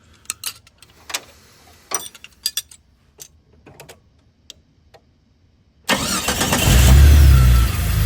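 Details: 2000 Jeep Cherokee XJ 4.0 after replacing the mechanical clutch fan, started to check for fan wobble: a few light clicks, engine catches near six seconds and settles into a smooth, steady idle; no wiggle or wobble.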